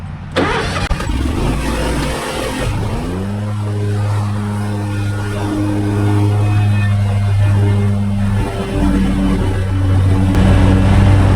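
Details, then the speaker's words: Mower cutting thick, wet, clumpy grass up a slope: engine drones steadily, then pitch sags as dense wet grass bogs it down under heavy load. "Y'all hear that? Bogging down. That's how thick it is."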